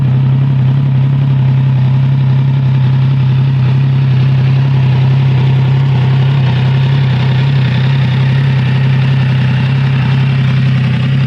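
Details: Triumph Trident 660 triple-cylinder motorcycle, cold start, unfiltered exhaust sound: loud, deep, even growl with a faint, irregular rattle underneath at idle; rattle at cold idle, source unknown.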